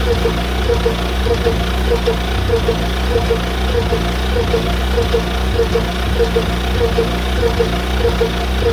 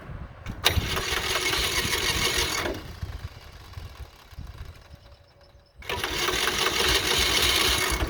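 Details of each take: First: John Deere Model R tractor big diesel engine idling after the pony motor was rebuilt, reinstalled and used to start it, following injector work; slow, even idle with steady low thrum and regular ticking beats; normal idle. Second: John Deere Model R diesel being cranked by its rebuilt pony motor: pony buzzes hard in long bursts, big diesel never fires, little smoke. Owner thought fuel system needed bleeding; found injection rack sticking/gummy. Cranks but won't start.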